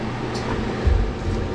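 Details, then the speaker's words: Fan coil unit blower after repair, checked at its speeds: a low, smooth, even hum with no rattle, scrape or squeal. All three speeds work and it runs nice and quiet. "we got all our three speeds now and it's nice and quiet"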